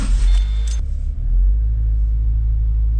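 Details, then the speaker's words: Subaru Forester XT driven around the block after pushing back a brake dust shield that was rubbing the rotor, during CV axle work: steady low road rumble, no scraping or rubbing at the wheel; normal driving. "Yep, no scraping. We are good to go, I think."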